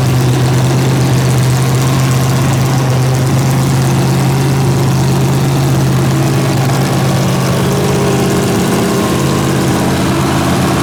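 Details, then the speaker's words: Freshly built 283 small-block Chevy V8, coolant added, held at raised fast idle to warm up, untuned, two unlinked carburetors, solid roller cam; loud steady rumble, even beat, no knocks; healthy. "i got water in it now so i'm gonna sit here and let it let it run keep it idled up a little bit and get a little heat in it and check everything"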